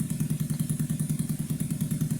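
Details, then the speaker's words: 2009 Skyteam Bad Boy 50cc four-stroke single after an oil change, vacuum leak fixed and idle raised. Steady, even idle of about seven beats a second, no ups and downs in revs, no rattling; healthy. "It's like that's the sound you want an engine to make. Just constant constantly the same noise while idling. No going ups and downs in revs. No weird rattling noises."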